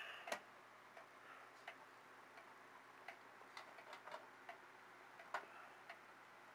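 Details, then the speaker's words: Regulator clock after calendar-hand repair, restarted at 7 o'clock: light ticks roughly every half to one second under handling noise; movement running steadily again, normal ticking. "there we go there's the regulator ticking again so call this a wrap guys I think we got it"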